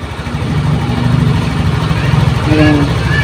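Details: Honda Beat FI scooter after repairing a faulty wiring path that killed the electrics and ignition, kick-started on a weak battery: steady, even low putter at idle with no misses, knocks or rattles; charging reads 12.56 V.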